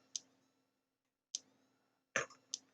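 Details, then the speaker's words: Thunderbird TB10 battery-powered portable strip-grazer fence energiser on the bench, no LED lit: sharp single ticks roughly every second, mic held close, silent background; pulsing normally, though no HT later found at output; owner suspects wiring problems. "I hear ticking and do we have an LED we don't um but I do hear ticking and I'll let you have a listen if I can hold the mic"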